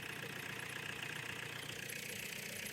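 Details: Renault 19 diesel with 417k miles at idle with the exhaust disconnected: a harsh, loud, unmuffled sound with a raw hiss and rasp.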